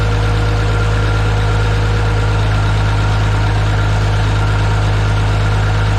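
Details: Minneapolis-Moline G950 propane tractor on a very cold day, Stanley muffler fitted in place of the new-old-stock one; deep steady thump about four beats a second, no misses or knocks, slightly louder; healthy idle, valves sound good.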